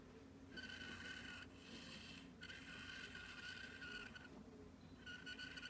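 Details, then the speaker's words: Old fan (Rusty Bob) with GE motor, plastic grille off, shaft with in-and-out play: dry scraping rasp in bursts from the rear when the shaft is pushed back, gone when pulled forward; rubbing in the motor, owner suspects a lost felt washer. "Sounds like it's in the back, and if I pull forward, it doesn't make that sound. So that's whatever's going on within the back there. So maybe we lost a felt washer or something."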